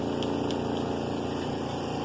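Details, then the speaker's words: Zeny portable twin-tub washing machine, spinner running with lid left open; steady even motor whir with water rushing out to the drain, no knocking or rubbing. Normal spin cycle. "So if I just leave it like that and let it spin, it's going to spin all that water out down there."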